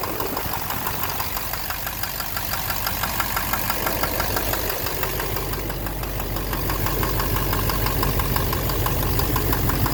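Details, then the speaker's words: 2009 Chevrolet Silverado 3500 dually, Duramax LMM diesel, 59,900 miles, idling, heard from underneath near the oil pan: regular knock about twice a second. Owner suspects bottom end; oil analysis normal, intermittent since 57,500 miles. Cause unconfirmed. "It's right in the bottom end. I think it's in the bottom end."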